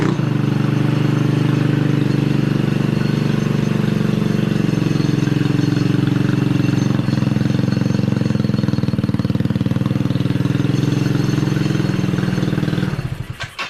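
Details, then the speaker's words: Killer Bee scooter, revived after a long storage and fired by arcing the starter solenoid, holds a steady low putter for about twelve seconds before shutdown. Normal running. "Oh yeah, the Killer Bee is alive. I mean, I didn't doubt it would, but it's alive."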